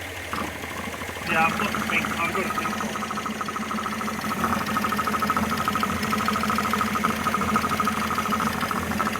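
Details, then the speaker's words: Engine just rebuilt with new head gasket, reconditioned head, water pump and hoses, first start: uneven idle with faint irregular ticking over a steady hum, running a bit rough; cause unconfirmed. "no it's running a bit rough"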